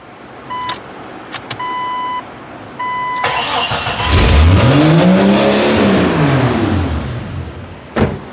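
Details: First start after replacing an exhaust manifold damaged when the driveshaft broke: engine fires and revs climb steeply on their own before sagging back, racing; owner suspects a large vacuum leak.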